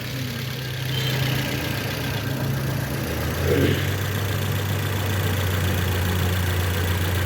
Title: Decoding the Toyota Corolla's Rare fault 2 Cylinder Misfire